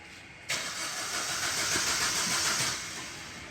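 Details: Maruti Ritz diesel cranking but not starting; the starter cranks steadily for a couple of seconds with a hissy whirr but never catches. Codes include actuator supply voltage circuit open and lost communication with the ECM.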